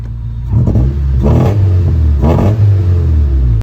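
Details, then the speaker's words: Honda Civic EG built from three junkyard Civics, on its first successful drive: a deep, full exhaust drone swells with revs and settles back, clean and steady with no misses and little smoke. "here's then successful little first drive sounds so good and there's uh not too much uh smoke or anything coming out the exhaust but yeah so happy with it drives real nice little clip of the exhaust for"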